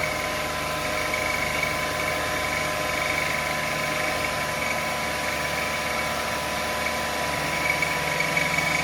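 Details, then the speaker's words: 2005 Lexus ES330, 3.3 L VVT-i V6, right after cold start: steady high squawking tone over idle, loudest behind the timing cover; belt or something under the timing belt suspected. "I's hope it' be just a power steering pump or alternator or something but that noise was most predominant and loudest behind the timing cover here"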